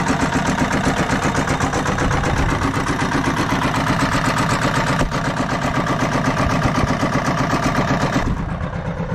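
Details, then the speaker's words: RamX hydraulic trench compactor with a transplanted military surplus small diesel, running after its hydraulic drive and vibration controls were figured out, gives a raw, harsh rattle at steady speed with sharp unmuffled pops about four per second; no exhaust fitted, owner says it needs fixing. "this thing is awesome it's really loud we got to fix that but it's awesome"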